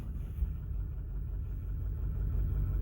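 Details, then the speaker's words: Ford 6.4 Powerstroke diesel rough running after injector work: low rumble with an uneven, loping beat about three pulses a second, heavy smoke; owner suspects too much fuel into cylinder three. "oh yeah it is not happy sounds like a six liter and a seven three"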